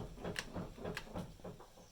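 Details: Car body rocked side to side by hand at the door or roof rails, without a pit or lift: dull clunks from worn sway bar links.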